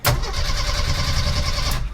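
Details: 1987 Jeep YJ 4.2L AMC inline-six, carbureted, sat 7+ years: brief even cranking whirr under two seconds on the key, steady and unlabored; starter turns engine properly.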